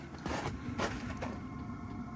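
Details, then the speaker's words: Cheap Chinese Amazon 12V diesel air heater on a skoolie bus, recorded from outside: sharp fuel-pump ticks about twice a second over a low hum; the pump mounted directly to the bus's metal carries the sound inside. "I mean I can hear from here you're not gonna bother anybody you know in a RV program like that but the fact that it's hooked up directly to the metal of the bus definitely uh makes a sound go inside"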